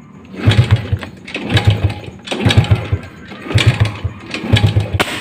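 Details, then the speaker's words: Rusi 100 motorcycle, carburetor freshly cleaned and throttle cable replaced, hard starting with no proper idle: repeated kick-start chugging bursts that never catch, then sharp backfire pop; spark plug and cap checked next. "Yun ba-backfire siya. So ibig sabihin hanapin natin yung pangkalas ng spark plug natin."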